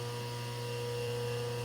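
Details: Rewired lathe's single-phase motor on rubber isolation mounts, running in reverse after full stop: steady even electrical hum, low mains-type drone, no knocks or rubbing; runs OK and much quieter, normal.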